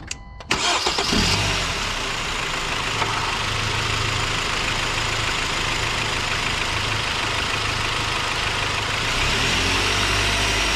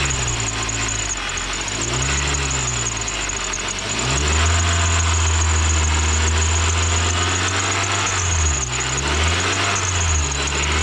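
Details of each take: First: Car engine cranks, catches and idles, then revs several times with no serpentine belt squeak or squeal after dielectric grease was applied; before, it squeaked for 30–60 seconds on cold start and at 2,000–3,000 rpm. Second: Serpentine belt squeak: thin high intermittent squeak over engine revs, worse on cold start for the first 30 seconds to a minute and around 2,000–3,000 RPM or when AC compressor kicks in, sometimes none at idle; dry belt slipping, fixed with dielectric grease.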